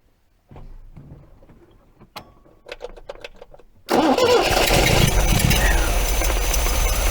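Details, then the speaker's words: MGB engine just after oil, filter and plug change (gap 25 thou) and tappet adjustment, not yet warmed up, lapel mic beside engine: starter cranks, catches, busy idle better but still slightly uneven; rough idle, likely carbs out of balance. "that's a hell of a lot better not perfect but it's a lot better"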